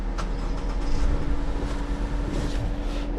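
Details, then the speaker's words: Mazda CX-90 plug-in hybrid (2024 or 2025) with a crank-no-start complaint, key on and engine off after the PCM codes were cleared: steady rushing air and an even hum as the cooling fan runs at high speed, which is not supposed to happen. "Okay, so I hear the fan running high. It's probably not supposed to happen."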